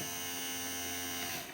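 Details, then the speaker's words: Datsun 280Z power antenna rewired with a 12 V double-pole double-throw relay: smooth, steady high-pitched motor whir, then winds down; relay unenergized, motor running normally before the relay clicks to reverse. "it's just a motor running because this is the unenergized state okay now the relay will click on and it'll reverse"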